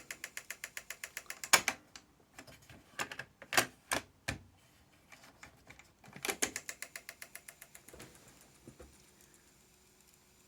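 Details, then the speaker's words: Panasonic SG-X10 stereo system cassette deck playing a test tape: rapid bursts of sharp mechanical clicking that stop and start as the transport chews the tape; a rusty capstan is punching holes in it. "That sounds awful, and I think it's chewing up the tape somewhere. Let me look. Yep, it's definitely making a mess of that tape."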